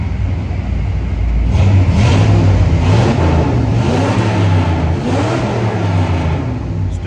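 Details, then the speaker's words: 1982 Ford Bronco 302 V8 with Holley Sniper EFI, after relocating ignition coil and fitting new Taylor ignition wires to cure EMI data dropouts: quick throttle stabs rise and fall cleanly, no backfires through intake or exhaust. "put a set of taylor ignition wires on it and it looks great now no issues i can stab the throttle no backfires"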